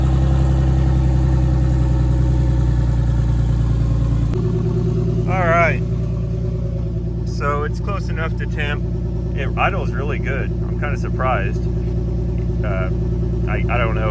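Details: Big-turbo BMW E46 on a new tune, open downpipe with no exhaust; steady, even low idle with smooth regular firing and no knocks, misses or hunting, sounding healthy.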